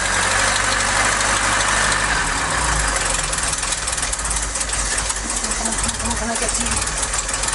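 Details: Mk3 Ford Cortina Estate carburetted engine at rough idle before the exhaust manifold nuts were tightened. A light, fairly regular tap about four times a second rides on top, typical of an exhaust manifold leak.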